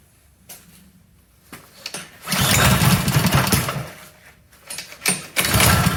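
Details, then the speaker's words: Honda GCV160 Troy-Bilt power washer, after bad fuel and carburetor replacement, started on choke with air filter on; catches in uneven bursts, surging and dropping; governor spring fell off linkage during repair: governor spring detached. "Well, there's the problem. The governor spring has fallen off the bottom there."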